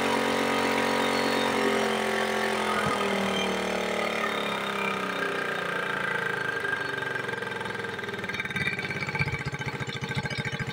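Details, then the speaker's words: Suzuki Smash 110 carburetor motorcycle that would not hold idle, after idle adjustment: an even, steady single-cylinder putter that no longer hunts or dies. Idle is now normal. "nah ini sudah enak ya kedengaran bunyi langsamnya itu sudah enak ya dan tidak mati-mati seperti tadi lagi ya"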